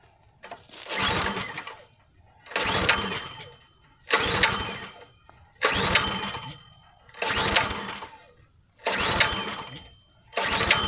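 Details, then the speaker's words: Log splitter, fuel shut off and choke on to clear flooding; pull-cranking bursts sputter without catching; carburetor found flooding with gas in bowl, suspected stuck float or needle not seating. "Okay so this is what's going on here there's a big problem okay right down here right inside the carburetor there is gas build up down here in the bottom so the carburetor itself is flooding out"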